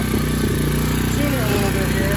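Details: Tao TBr7 250cc single-cylinder, new PZ30 carburetor installed after sitting a month, choke on, in neutral, warming up: steady even thumping at a slightly high idle; idle just needs turning down.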